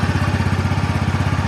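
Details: TVS Ntorq BS-4 scooter idling: a small single-cylinder putt at about ten even beats a second, clean and steady with no rattle or grind. A healthy idle.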